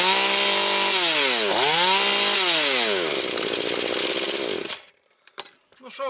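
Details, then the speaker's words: Husqvarna 240 chainsaw, just reassembled, carburetor retuned (idle raised, mixture about 1.75–2 turns): crisp two-stroke revs climb cleanly and drop fast to a steady idle, no hesitation and no air leak; expected around 13,000 rpm. "скажу Люкс пішла як годинничок значить набір обертів скид швидкий Все як має бути підсмоктування повітря нема"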